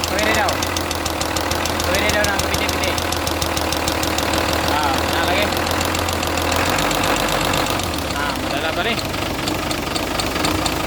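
Steady light knocking, about four a second, over the idling engine; a top-end tap, possibly rocker arm, cause unconfirmed.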